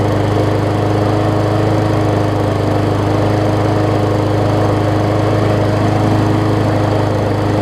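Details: Murray 20-inch 3.75 hp mulching push mower, long dormant with a stuck-open intake valve that was freed, after an oil change with Seafoam, new air filter, primer bulb and pull rope, and the governor vane freed: steady even drone, no hunting or knocks, holding rpm well.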